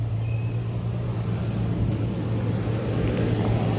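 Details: 2006 Toyota Tacoma 4.0L with a customer no-start complaint and no fault codes on the scanner, now started: a steady, even low hum with no knocks, stumbles or hunting, idling smoothly.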